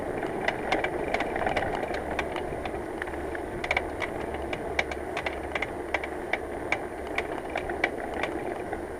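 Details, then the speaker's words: Bicycle rear hub while riding in unseasonably warm, greasy conditions: quick, irregular ticking and rattling over road and wind noise, getting worse; the hub's grease had turned to sludge, and it was later repacked with no obvious ball damage. Contaminated hub grease noise. "it's unseasonably warm to the sky go to very greasy and that noises get worse I do hope I get home before anything seizes foreign"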